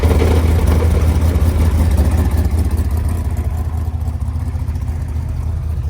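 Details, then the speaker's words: Car with a Tremec TKX manual transmission, idling after a first-gear failure at the drag strip: engine sounds good, but a low uneven rumble and rough clatter about two beats a second suggest broken gearbox internals; clutch too strong suspected, transmission coming out. "yeah the only plus we have going for us right now a good running engine man that sounds bad so we're going to push it out and and take transmission out"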